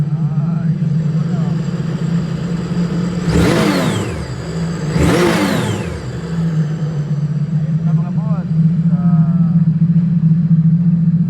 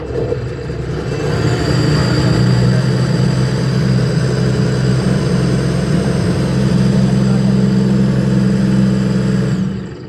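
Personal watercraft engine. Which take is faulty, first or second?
second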